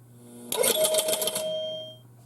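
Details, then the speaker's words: Gottlieb 1971 Home Run pinball machine, score motor stepping one stop after a single, double, triple or home run to reset relays: quick relay clatter with bright chimes about a second, dying away; normal score motor cycle. "So if you watch this video, these will twitch just barely. You can barely tell that they're even resetting."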